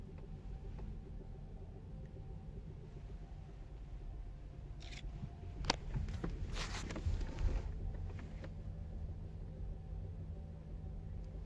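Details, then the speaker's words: Kia Niro EV reduction gearbox rumble with random hollow taps, like someone knocking on plastic under the car, varying and sometimes disappearing; caused by excessive shaft end play. "Klopfen erinnert als würde jemand unter dem Auto sitzen und mit irgendwas auf das Plastik klopfen und dieses Geräusch nicht immer auftauchen manchmal kann es sogar verschwinden manchmal wird es stärker manchmal schwächer"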